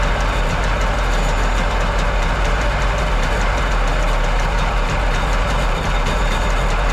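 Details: Jet boat engine, after freeing a stuck choke: loud uneven running that won't idle smoothly, top-end bog; owner suspects carbs need rebuilding, unlike the smooth-running other engine.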